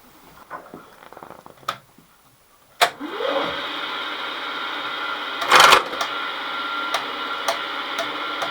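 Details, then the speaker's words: Kearns Richards S-type horizontal borer on first run, feeds working only while the spindle turns: a steady high whine, then a harsh grinding burst. Something is binding in the feed gearbox, possibly not properly engaged; unconfirmed. "that doesn't sound very healthy that doesn't sound very healthy why is he doing that i don't know probably because it's not properly engaged we run into a overrun issue here something is binding"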